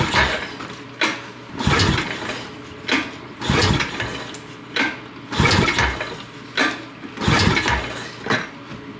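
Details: 2006 Honda Rancher 350 ES that won't start, pull-started during a spark test with a tester on the plug. Five rough pull bursts turn the engine over briefly without catching; spark was confirmed at the plug wire.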